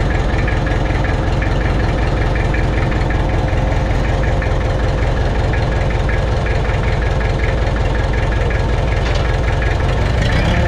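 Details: Mitsubishi BD2F dozer diesel running on its own after two or three years, after cleaning rust from fuel primer pump and bleeding injectors; steady even low clatter at idle, no misses or knocks; normal idle.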